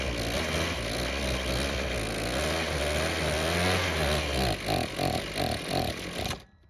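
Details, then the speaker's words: Ryobi string trimmer that wouldn't start, after carb cleaning with the idle screw turned back in: uneven buzz breaking into sputtering bursts, then dying. It runs mostly choked but struggles once the choke is off, pointing to a fuel or carb problem. "Unfortunately, that didn't help out as much as I was wanting it to, and because it seems like the problem only shows up once the choke is turned off, it means we have a fuel problem."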